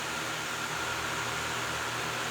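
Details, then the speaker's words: DJI Mavic Air 2 at idle with stock propellers, compared to vibrating orange Master AirScrew set: soft steady hum with thin even whine, no wobble or buzz, drone doesn't move; props balanced, normal idle. "As you can see, the blue ones seem to work fine, you know, at idle there, and just the same with the stock ones, of course."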